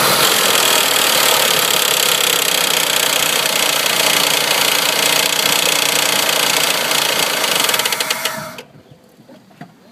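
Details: 1994 Honda Passport at idle: steady fast ticking, about three to four per second, riding over the idle and stopping at shutdown. Owner suspects the timing belt tensioner and plans to replace it to see if the clicking stops.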